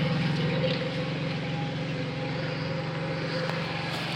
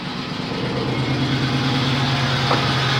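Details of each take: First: Pontiac Bonneville 3800 after upper/lower intake repair, radiator flush and oil change: steady, even idle with smooth low drone, no misfire or coolant in plugs; normal idle, head gasket suspected at first but not the cause. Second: Pontiac 3800 V6 with P0171 system-too-lean bank 1 and misfire codes: uneven, loping low idle; suspected upper or lower intake vacuum leak rather than head gasket, not confirmed.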